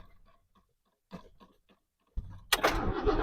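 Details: 1967 Lincoln V8 cold start after sitting over two months in storage: a few quiet clicks, short crank, then fires right away and holds a steady, even rumble; battery still good, cooling system held pressure.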